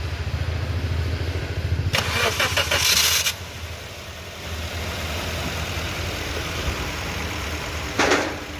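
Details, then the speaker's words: Maruti Suzuki Ertiga petrol after repair (fresh Castrol 5W-30 oil, jump-started from another battery): cranks briefly, catches and settles into a smooth steady idle; the earlier engine noise, rattling on acceleration and stalling off-throttle are gone. Normal idle. "Engine sound শুনে নিচ্ছেন একদম engine sound পরিষ্কার আগে যে sound ছিল সেসব problem নেই"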